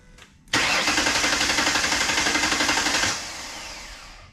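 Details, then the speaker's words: 2008 Ford Explorer 4.0L after engine reinstallation (compression 185 psi on all cylinders): starter cranks evenly but the engine never catches because the fuel pump relay was left pulled after the compression check; crank, no start, no fuel. "better not gonna run without fuel i forgot i pulled the fuel pump relay when i was doing compression check so let's plug that back up try again"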